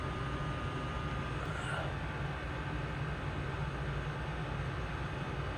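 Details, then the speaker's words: Old commercial Trane water source heat pump in cooling after the clogged drain was fixed: steady low hum and airflow rush with no knocks or squeals. Return air is 73°F, supply 57-58°F, running smoothly. "And about 58 supply, 57. It's already dropped a degree."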